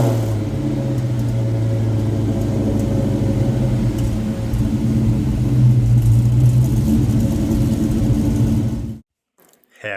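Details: 7.3 Godzilla V8 engine swap, first start after an ECU hardware update, TPS auto-set and a calibrated throttle body: deep, even rumble swells smoothly when revved and settles again, no misses or knocks, normal running and revving.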